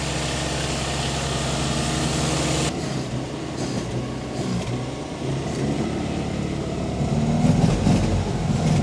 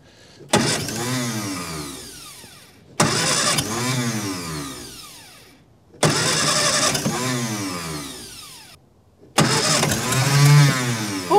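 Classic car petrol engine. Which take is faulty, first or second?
second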